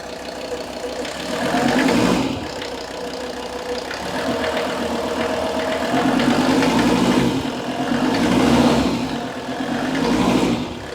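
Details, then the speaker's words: Mercedes-Benz S123 300TD turbo diesel, 720,000 km, not fully cold (about 40 degrees), oil pressure gauge fitted reading 3 bar at idle: usual diesel clatter rising and falling smoothly through throttle blips, no knock or miss; healthy. "it's three bars right now at idle that's nice it's gonna rev it a bit"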